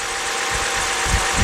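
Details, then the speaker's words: 2011 BMW 328i 3.0 with P0302 cylinder 2 misfire, customer complaint of very rough running: warm idle, somewhat smoothed out, still a rough uneven low thump stumbling every few beats as a cylinder drops out. "But still got that misfire."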